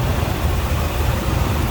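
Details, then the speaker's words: 1979 Pontiac Trans Am 10th Anniversary with a numbers-matching 403 V8 and automatic, believed original miles, idles with a deep, steady, even low rumble and no misses or knocks; runs smooth. "Very stock looking. Nice tidy engine bay and sounds good. Runs smooth."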